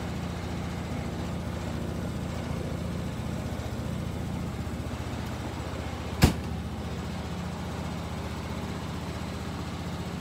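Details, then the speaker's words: Kymco Bet and Win 250 scooter, idle screw turned up; steady even putter at low idle with one brief click; normal idle. "idle just is right there it's just a screw you can turn it you'll hear it slowing down so I bumped that up a little bit"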